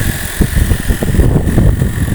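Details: 2021 Toyota RAV4 hybrid, 2.5 petrol plus electric, after flat-battery jump start and five minutes charging: gasoline engine runs a smooth, even idle with steady low hum and faint fan whine, no knocks or misses; normal idle.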